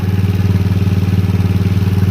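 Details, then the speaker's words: 50cc GY6 mini sport bike scooter at idle after carburetor adjustment and a different (blue) part replacing the performance one: small single putters at a quick, even beat with no stumbling; runs much healthier, normal idle. "it's all right it's running a lot better than it was sounds healthier now"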